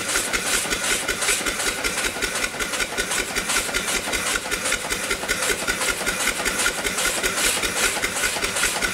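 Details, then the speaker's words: Upright steam engine after the off-time eccentric was reset, running below 20 psi on a weak fire, with O-rings too narrow to compress. Steady, even chuff about two and a half beats a second under constant hiss: normal running. "it's not going terrible I've only got a well we're down below 20 pounds I didn't have much of a fire"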